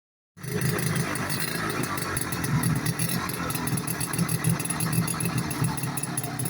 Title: 1972 French Advancer Sach Rotary start up after rebuild.